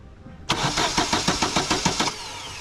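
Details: 2015 Vauxhall Astra cranks but won't start: the starter turns over at about five or six even pulses a second with no catch. Cam and crank sensors and injectors test fine; a heat-failing cheap ignition coil pack from a previous garage kills the spark.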